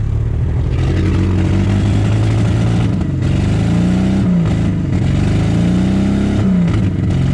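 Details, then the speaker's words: 1947–49 Studebaker with recently rebuilt flathead six, sat 35 years, 50 psi oil pressure: revved twice, beat uneven and lumpy as if one cylinder isn't firing; rough running, cause unconfirmed. "Look at that. 50 pounds of oil pressure. Doesn't sound like it's hitting on all this thing."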